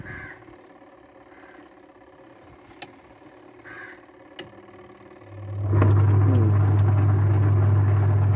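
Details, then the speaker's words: Washing machine wash motor with the selector on normal and timer working: a faint hum while power is supplied, but the drum must be spun by hand before a steady low motor hum builds; weak start capacitor. "இப்போ பார்த்தா லேசான ஹம் சத்தம் கொண்டு வருது, பார்ப்போம். இப்போ பாருங்கள், இது கையால் தான் நாங்கள் ரொட்டேட் பண்ண வேண்டிய ஒரு தேவை காணப்படுது, பார்ப்போம்."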